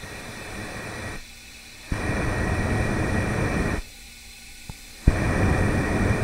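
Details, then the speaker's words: Yamaha YZ 250F four-stroke motocross engine, freshly adjusted five-valve head, leak-down test before reassembly; hose held to microphone at intake side, rushing hiss in bursts escaping past the middle of three intake valves, not fully sealing. "il ya trois soupapes que je peux tester indépendamment et là sur une des soupapes j'arrive à entendre quelque chose"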